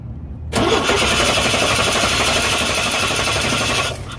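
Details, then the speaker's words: 1989 Chevy Astro with TBI, cranks but won't start when heat-soaked; wiggling a wire to make the right connection while cranking lets it fire at once and settle into a steady even idle; clean start. "but essentially if you're cranking it and then wiggled is wire and get the right connection it'll start right up"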